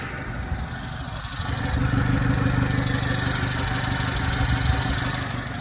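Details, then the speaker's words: 1990s Subaru Sambar KS4 engine, warm, after timing and idle mixture tuning, lights switched on: steady, even idle holding its beat with no stumble or shake after idle was bumped up slightly. "that sounds awesome to me"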